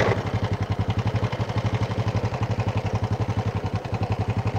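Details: Honda Supra motorcycle idling with a harsh, rhythmic clatter pulsing about four times a second; timing chain and bushing already replaced and the noise stayed rough; heard from both the right and left sides.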